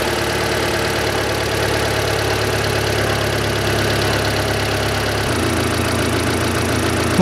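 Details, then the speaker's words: 1999 Mitsubishi Pajero iO, 4G93 engine, started after valve stem seal replacement and a new SUN timing belt, no leaks seen. It fires up and settles into a steady, even idle, with a slight drop in tone partway through as it warms. Normal idle. "я тоже установил снизу посмотрел все не день и подтеков ничего нету опускаем заводим и прогреваем"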